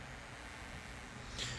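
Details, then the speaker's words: KRK Rokit 8 G2 powered studio monitor, switched on with nothing playing: a faint, steady low hum heard up close. This is the fault awaiting repair. "So even if you can hear it, there's a lot of humming coming from this speaker. Same thing with this one. There's a hum coming from it. So these hums are very annoying."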